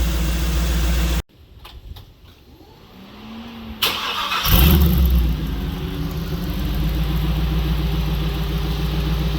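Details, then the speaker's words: Jeep V8 with multi-port fuel injection, new exhaust, after fixing a misfire by correcting the tune from throttle body to multi-port injection: cranks, catches, settles into a smooth, even idle, no misfire. "Nice and smooth, sounds good. It sounds really nice. Idling perfect."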